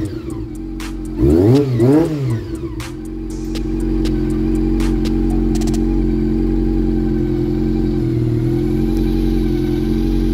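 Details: Honda CB400 motorcycle after fixing an engine ticking traced to the cam train (cams and covers). Engine blips up twice, then settles to a steady, even idle with no ticking left; sounds healthy.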